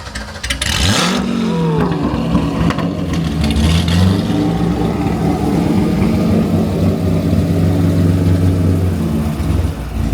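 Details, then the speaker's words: 1980 Dodge Ramcharger V8 starting and revving: cranks briefly, barely starts, then deep smooth rumble rising and falling cleanly with throttle, no knocks; gauges read wrong, but engine sounds healthy. "Hey, that's why you got it. She looks good. She sounds good. It's healthy."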